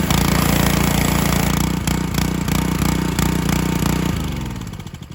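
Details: John Deere HR-2700GH pressure washer, Honda GC190 engine, 2700 PSI pump, revived after a bad spark plug and contaminated oil: steady, even single-cylinder petrol note with brief surges from air in the line before settling and slowing; normal running.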